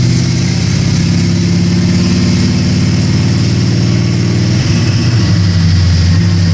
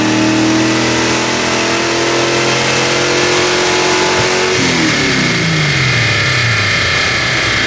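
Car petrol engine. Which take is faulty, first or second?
second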